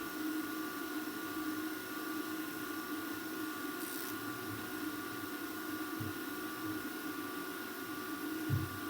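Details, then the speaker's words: Repaired JVC DR-MV79B DVD recorder/VCR combo rewinding toward the leader, where auto stop should trigger: even whirring hum at constant pitch with no squeal or grinding, so the rewind runs normally. "okay it's going to get to the leader and that's when it should stop right when it gets to the leader"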